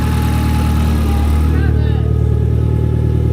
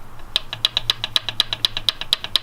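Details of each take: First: Nissan 240SX on Royal Purple oil, started after an oil leak that caused a fire: deep, steady idle with even exhaust beat, no knocks or rattles; light smoke from the manifold was from greasy hands. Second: Nissan SR20-swapped 240SX, engine cold after sitting overnight: sharp even ticking about eight a second over faint engine hum, from down near the turbo manifold where PCV oil-return fitting popped out of block; tapping cause unconfirmed.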